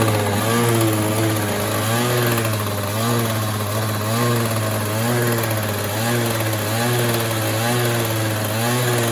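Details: Yamaha PW80 two-stroke with the old carburetor refitted and its air screw stripped: pitch rises and falls in quick waves about once a second, hunting instead of idling; owner suspects an air leak, unconfirmed.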